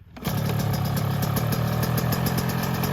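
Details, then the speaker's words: 2024 Yamaha YZ125 two-stroke after new FMF pipe and silencer, JD jetting kit, new oil and fuel mix; fast, even buzzing idle sitting noticeably too high, needs adjusting; high idle speed. "my idle's still a little high you can hear it I'll have to adjust it"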